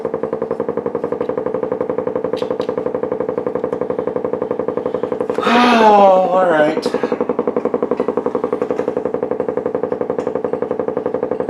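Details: Blaupunkt Florenz shortwave/AM/FM tube radio, probably 1960s, with broken dial strings; regular putt-putt pulsing about four times a second, unchanging, severe motorboating. Owner suspects a capacitor or bad connection; cause not yet found, chassis must come out.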